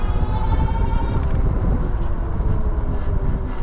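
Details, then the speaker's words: 2023 Wallke H9 AWD e-bike while riding: a thin, steady squeal of about a second over the ride rumble, fading into wind and tyre noise. Rear disc brake grabbing and squealing despite bedding in; front feels fine, cause unclear. "yeah there goes let start to do that grabbing again I don't know what that is I'll keep trying to bet it in but that thing should be bed in by now yeah that sounds terrible"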